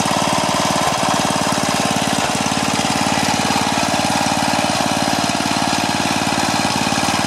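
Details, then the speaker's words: Craftsman four-stroke edger, Tecumseh engine, throttle about halfway: steady low-speed chugging, about four beats a second, never picks up despite throttle. "yeah i see what he says you saw when i was trying to adjust the throttle it's not making any difference at all so my guess is it's probably uh i'm going to take a look at the governor linkage and make sure it's hooked up correctly"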